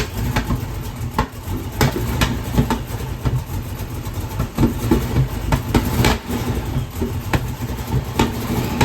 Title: Hemi 265 Delco EFI Rough Idle Problem